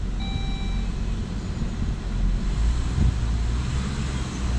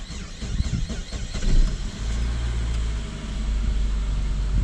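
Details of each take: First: Saab 9-5 petrol after fuel filter replacement, very slow start while fuel pressure built: low steady rumble, slight rev lift, then settles evenly with no stumble or misfire; idling fine. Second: Saab 9-5 petrol, start right after fuel filter replacement: uneven churning for about two seconds before catching into a steady low idle; very slow start while fuel pressure builds, then idles well.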